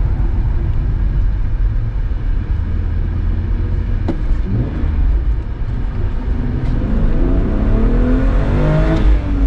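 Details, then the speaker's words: BMW 325ti E46 Compact inline-six on the road after a leak was fixed and the lambda sensors replaced; the sound has changed a lot, with much more intake noise: deep, even note pulling smoothly as revs climb, no stumble, normal. "Ik vind dat het geluid veel is veranderd ten opzichte van het vertrek zeker vanwege het lek wat er was hoor veel meer toelating"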